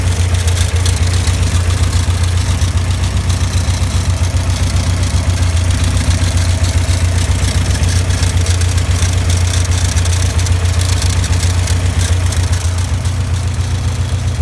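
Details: Caterham Super Seven idling steadily with a fast, even rattle riding on it, constant with engine speed, from a worn alternator bearing.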